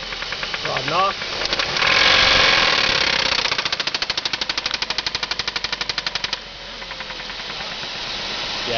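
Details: 2003 Ford Focus 2.3L: loud, sharp, evenly spaced knocking from the engine, confirmed as rod knock from a spun connecting rod bearing.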